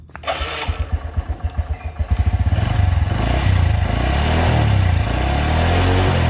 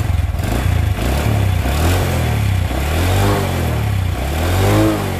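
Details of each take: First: Motorcycle that lost compression from water-contaminated oil, after repair with coil relocated; starts right away on the electric starter, then settles into a slow, loping idle that is too low and needs the throttle idle raised. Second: Single-cylinder motorcycle that lost compression from water-contaminated oil, after repair, started immediately on the starter; repeated throttle blips, pulsing exhaust climbing and falling cleanly, no knocking, healthy though idle was judged slightly low.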